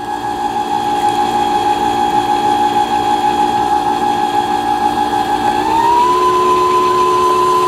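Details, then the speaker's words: Brother Innovis 10 sewing machine after needle bar connecting unit repair, bobbin winding at medium speed: smooth steady motor hum with even whine rising slightly as speed nudged up; normal winding. "요 스타트 버튼을 누릅니다. 요때 요 실이 북토리에 제대로 감기는가를 확인을 하셔야 됩니다."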